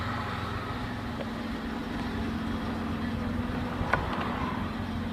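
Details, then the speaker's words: Engine at idle after a Suprotec additive treatment: quiet, even idle with a soft steady hum, knock gone; sounds healthy. "Все, тишина."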